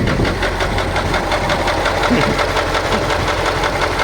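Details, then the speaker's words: KamAZ YaMZ-238 diesel idling with a sharp, regular knock about three per second over the engine clatter; the owner heard the seventh cylinder sounds different and says it is not the pump, but the source is unconfirmed. "я наслушался что седьмой цилиндр немножко отличается по звуку"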